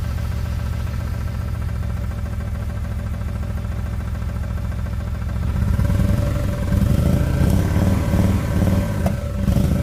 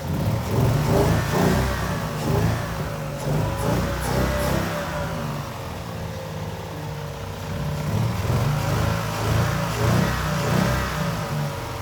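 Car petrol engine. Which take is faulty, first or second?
first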